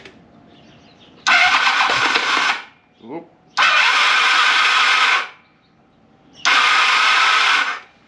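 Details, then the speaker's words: Kawasaki KZ1100 after freeing stuck-open floats on carbs 1 and 2, choke on: three bursts of light high free whirring with no compression beats or firing; starter spins without turning the engine, starter clutch and windings found shot. "that doesn't sound like I'm spinning rather the starter's spinning and not the motor"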